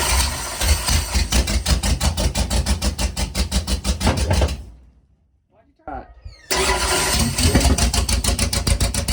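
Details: 28 Special dirt late model after a starter refit and a flywheel replacement (the old teeth were half gone): strong, even cranking about three beats a second, a pause, then more firm cranking that engages cleanly without grinding.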